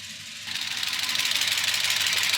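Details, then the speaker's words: Gen 6 454 big-block Chevy freshly swapped into a 1976 Chevy C30 dually, no oil reaching the top end after minutes of running and revving: fast light metallic clicking sharpening after a rev; dry lifters from oil starvation. "These things are bone dry. And that's why it's so clicky. That's the actual lifters kicking, basically."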